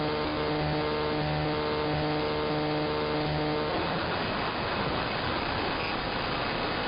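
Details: Interference across the entire AM band: buzzing, motor-like whine with steady tones on a hissy radio, then dissolving into plain static; not apparently RF, owner suspects an electromechanical source, possibly the industrial park two blocks north.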